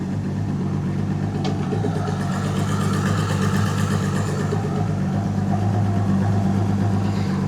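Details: Boat outboard just restarted after breakdown, fresh spark plugs (old ones about 50 hours) fitted, running on flush water: steady, even low burble, no misses or knocks; idles smoothly and healthy.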